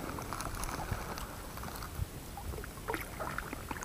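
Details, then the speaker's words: Pelican boat oarlocks after lubrication with CV-joint grease: only soft water splashes and oar strokes, no squeak or creak; the previously loud squeaking is gone. "удалось наша затея не скрипят уключины повторяю смазывали во смазка шрус для шарнира угловой скорости"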